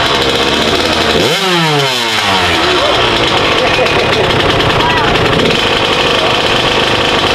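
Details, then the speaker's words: Freshly rebuilt Kawasaki KX85 two-stroke after break-in and a fluid change, kick-started before the first ride. It rises through a fast rev sweep, then settles into a steady buzzing run: normal, healthy running. "That sounds sweet. Yeah, it does. Sounds good."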